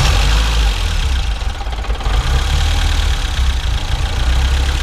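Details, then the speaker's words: 1972 BMW 2002tii restarted already warm: the idle dips a little low and wavers, then recovers and evens out, with no knock, misfire or smoke on revving. It runs smooth and healthy. "you know when it first starts up after it's warm it kind of idles down a little low and then comes back so um but overall runs great runs nice and smooth"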